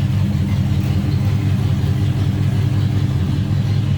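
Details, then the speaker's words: 1965 Oldsmobile Jetstar 88 convertible with an era-correct 1965 425 V8 (casting 381917), engine bay: deep, even V8 burble at idle with a steady low rumble and no misses or knocks. Normal smooth idle. "But I can tell you it is an era correct 1965 425. As you can see, smooth runner."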